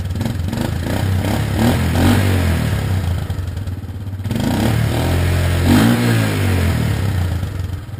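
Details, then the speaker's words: 1986 Yamaha Moto 4 200, bored over with a high-compression Wiseco piston, ported, a custom UNI intake and a bored-out muffler: a deep single-cylinder thump rises and falls cleanly through two blips with no rattles. Healthy. "I really like how it sounds it's got a nice exhaust onto it"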